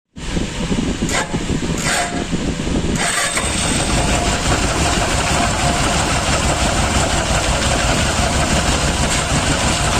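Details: Motorcycle running with right-hand clutch cover removed to trace a scraping "khar khar" noise thought to come from the clutch: steady scraping rustle over idle, constant with engine speed; worn, slack timing chain.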